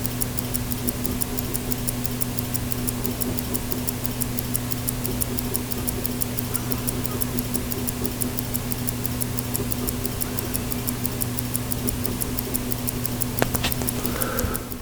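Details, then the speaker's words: Mechanical automatic self-winding Stauer watch, microphone on the balance wheel: fast, crisp, evenly spaced ticks with a steady beat and no skips or stumbles; the balance is running healthily. "I want to see how this microphone works on the balance wheel can you hear it tick that's the question if I stop talking you can"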